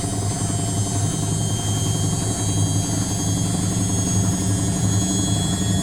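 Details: Indesit WITL 106 washing machine on spin: steady spin hum with irregular low thumps, the drum knocking during the spin cycle; cause not determined.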